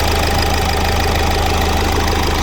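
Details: 2018 Hyundai Accent 1.6 CRDi diesel after repair of a cylinder 2 misfire and knock, timing and oil pump covers refitted, dashboard check OK: steady idle with even, regular clatter, no misses or heavy knock; engine healthy.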